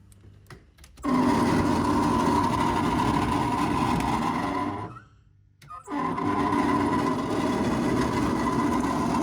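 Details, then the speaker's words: 1985 Chevy K5 Blazer heater blower motor running, before replacement with a new OE-quality blower: buzzy whirring hum with a high tone, cutting out briefly and spinning back up; sounds like it's dying. "so as you can tell we uh our blower motor sounds like it's dying"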